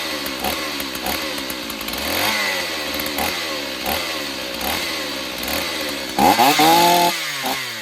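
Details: Stihl 028 Wood Boss chainsaw, long unused, cracked pulse line found; run with filter off, thumb as choke. Crisp two-stroke buzz blipping up and down, picking up cleanly without stumbling; sounds healthy, needs only tuning and servicing, somewhat weak.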